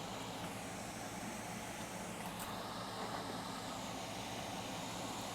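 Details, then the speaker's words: Late 2012 iMac 27-inch after repair cured the 9-beep fault, three LEDs lit, screen not yet installed: constant rushing whoosh with no pitch change, fan running at full speed, cause unknown and unrelated to the beeps. "Now the fan spinning high could be due to a couple of things which is not related to the 9 beeps that this computer was brought here for."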